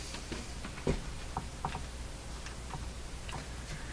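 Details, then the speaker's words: Philco 49-501 Boomerang tube radio at power-up on a dim bulb tester after the special capacitor fix: quiet irregular ticks and crackles with no hum or audio, something possibly arcing, no burning smell, cause unclear. "that doesn't sound good it does not sound good what is happening what was happening there doesn't smell like anything burned up"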